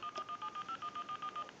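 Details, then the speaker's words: AT&T 530 Trimline telephone after repair (transmitter replaced, flash button disabled), final checkout dialing a stored time-and-temperature number from the second memory into a line analyzer; about eleven crisp even tone pairs with clean gaps: normal DTMF dialing. "and it just dialed out the time and temp number."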